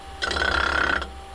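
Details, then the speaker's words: Wood lathe bowl turning on a faceplate, with the gouge held against the spinning top face. Rapid even chattering ticks and a squeal as the tool bounces over high and low spots, showing the surface isn't yet flat. "another way to tell us just to hold your tool against it if there's any real high spots or low spots you'd hear it bouncing like this"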